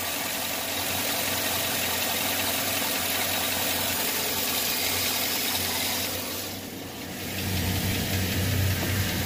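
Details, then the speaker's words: Chevy Silverado with a 5.3 LS V8 at idle: a fast, light ticking over a steady hum that keeps pace with the idle, heard from the driver-side head. Defective DOD lifters are blamed and are being removed with the engine in the truck. "I believe this is the own I think yeah or nine it should be us can hear that ticking sound"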